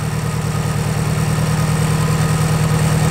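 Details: Nissan S13 200SX idling lumpy and uneven with a regular stumble, running on three cylinders; number one cylinder is dead, coil pack ruled out, leaving wiring to number one or the spark plug.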